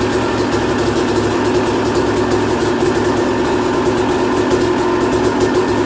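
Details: 2001 Yamaha YZ250 two-stroke, first start after new top end, jets and service (compression had been 100 psi): steady buzzy note that holds even without misses or rattles; runs cleanly.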